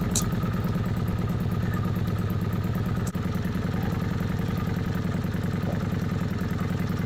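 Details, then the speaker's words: Kawasaki Vulcan 750 V-twin at idle with manual cam chain tensioner main bolt backed off 1.5 turns from its set point: a quick, loose metallic clatter over the firing beat from the slack cam chain; it worsens at two turns. "what you heard on the video was one and a half turns loose from this starting point that's when the clanking started"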